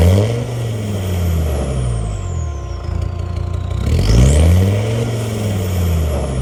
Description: Misfire 1250 - 1750 RPM when warm on a LR Discovery 2 TD5. Grey smoke points at a fuelling issue, injection harness was oil fouled and has been replaced.